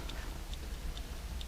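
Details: 1969-71 Lincoln Continental Mark III dash clock on the bench after service, lube cleaned off the points, fused supply: crisp, even ticks about twice a second; running steadily and healthily.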